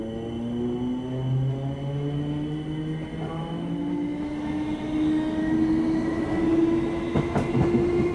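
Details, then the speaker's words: UK train accelerating: a deep growl climbing in pitch with speed, from straight-cut gears in the drive train, not motor electronics. Normal. "this sound T gearing actually isn't motor Electronics but straight cut gears in the train what are straight cut gears is kind of what it sounds like the teeth of the gears are cut in a straight line where the whole thing comes into contact at once"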